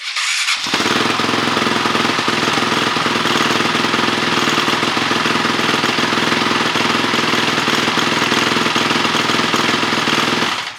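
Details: 2006 Honda CRF450X with 450R top-end conversion, after rebuild, on electric start (earlier no-start traced to carburetor idle screw fully out): catches at once, steady, even, fast-ticking idle with no misses; normal.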